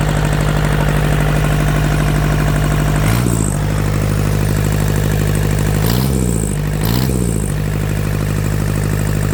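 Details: Yanmar TK486 4-cylinder diesel, all four injectors hooked up, hot grid heater used for cold start: even, steady idle clatter with a few brief dips in revs, smooth on all four cylinders; blow-by check shows no pressure from the vent.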